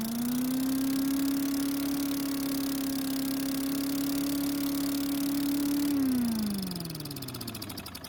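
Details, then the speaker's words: Craftsman chipper vac, out of long storage, test start after cleaning the carburetor bowl: small engine holds a high, steady screaming pitch with no response to the throttle lever, then winds down; over-revving, governor arm not moving, so governor possibly broken or throttle at fault. "the problem is that it was revving too high and i couldn't control the engine with the throttle lever"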